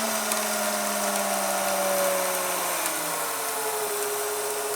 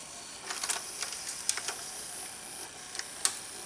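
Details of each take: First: VCR rewinding an older VHS tape that had been sticking to itself on the spool: a high rewind whir drops in pitch over a couple of seconds, then holds steady and lower. This is the deck's speed control easing off normally near the tape start. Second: VCR labouring to rewind an older VHS tape unplayed for a while: strained high whir with irregular ticks and clicks as reels hesitate, then it starts rewinding; owner suspects tape sticking to itself on the spool; this tape later broke.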